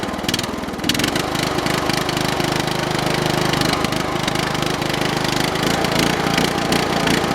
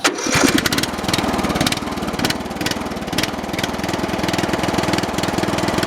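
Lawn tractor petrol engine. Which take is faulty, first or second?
first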